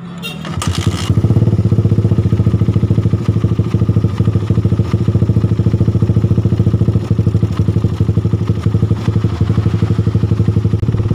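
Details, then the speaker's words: Suzuki Satria FU after repair: the rough knocking around the cylinder head, caused by a damaged cam chain tensioner, was fixed by replacing the tensioner. The engine now starts and settles into a smooth, even idle with no ticking or rattle. "ini suaranya sudah halus sudah tidak berbunyi"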